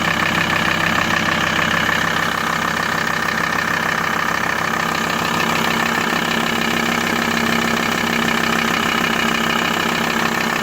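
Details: Diesel idle of a VW T4 (ACV engine) with a fairly steady, moderately regular tapping over the clatter, about two hundred per minute; abnormal engine noise at idle, source unclear.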